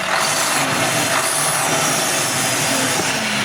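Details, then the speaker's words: Farm truck driving on the road with turbo diesel; pop then hiss heard, boost lines checked, not a tire. Strong airy hiss over the diesel, louder than the engine, turbo sounds abnormal; suspected boost/exhaust leak at the turbo, possibly a failed turbo. "کچھ ٹھیک نہیں ہے۔ یہ عام آواز نہیں ہے۔"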